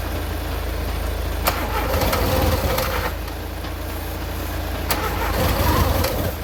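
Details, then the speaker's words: Mk2 VW Golf sitting for about 20 years: engine cranks and catches in uneven bursts, coughing without settling to an idle. Fuel was escaping underneath, making it hard to start; fuel supply pulled for a manual last-ditch attempt. "Yeah, so obviously all the fuel was escaping in down here, and that is why the backing thing was so hard to turn over."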